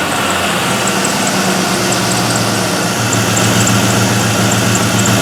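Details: LS-swapped Mazda B2200 V8 at idle after replacing a failed Bosch 044 fuel pump, with fuel pressure at 50 psi and the regulator working: steady, even idle with a smooth low burble, no misses, knocks or surging. Normal idle.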